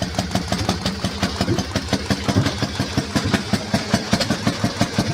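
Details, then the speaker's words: Harley-Davidson 1200 Panhead V-twin, twin plugs, single-fire ignition firing both pots together, belt drive, warming up: lumpy loping beat of a few firing pulses a second staying even and steady, a healthy old V-twin idle. "hope you're enjoying this vince this is what a real harley sounds like"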